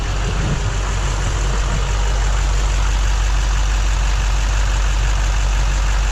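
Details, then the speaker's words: 2008 Chevy Silverado 3500HD 6.6 Duramax LMM after new fuel filter install and bleeding: fired right up, even deep diesel clatter at steady idle without stumbles; glow plug and fuel filter check engine lights now off. "Yeah. Fired right up. No check engine lights. I had 2 on before. One for the glow plug and one for that fuel filter."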